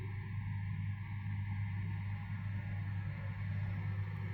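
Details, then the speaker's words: Bosch tumble dryer running a load on the cold-air setting, which heated after about 20 minutes. Steady low hum with an even, unbroken tumble and no knocks or scraping. Drying well, normal running. "Quand j'ai fait un tour, on verra si çaera bien pour le moment. Pour le moment, ça sèche pour le moment ça sèche bien."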